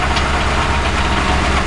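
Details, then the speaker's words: 2006 CVPI, recorded near the catalytic converters: loud, lumpy idle with an uneven low pulse and a rattly underlying beat; engine shivering, rough idle, cause not yet determined. "running but as you can see the engine is shivering"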